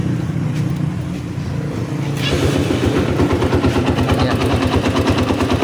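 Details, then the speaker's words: Honda XR200 single-cylinder after valve adjustment and new timing chain and tensioner fixing top-end noise: even running beat, no tapping from the top end; remaining noise only from clutch side. "So bale yung sa clutch side na lang yan pag pinagkakain. So yung banda sa taas wala na."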